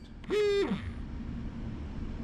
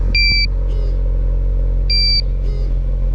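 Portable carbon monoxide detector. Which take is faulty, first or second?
second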